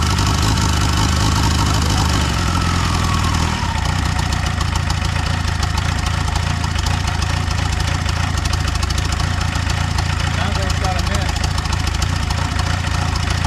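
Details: MK1 VW Rabbit/Caddy pickup with turbo diesel swap: fuel primed, injector lines loose; starter churns, catches at about 3.5 seconds, settles to steady clattering idle.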